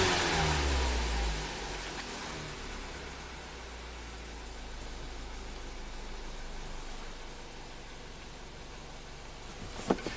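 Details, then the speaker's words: 2017 Ford Transit Connect that was running on 3 of 4 cylinders after a jump start, now with the crooked number 3 ignition coil reseated onto its spark plug: after a brief rev it settles to a steady, even hum with no stumble; misfire fixed. "I think this thing should just start up and run just fine. Let's see. Yay. That was the quickest Misfire repair ever."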